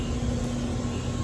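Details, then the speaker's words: Hayward HeatPro pool heater after its failed 80/7.5 µF dual capacitor was replaced: the condenser fan runs normally with a steady airy whoosh over a low hum, no rubbing or rattle, while waiting for the compressor to start. "This is the fan. So all we need now is the compressor to come on"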